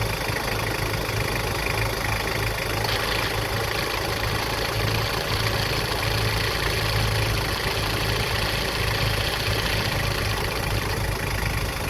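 Steady, even engine idle with a constant low hum and fan hiss, no squeal or tone on top.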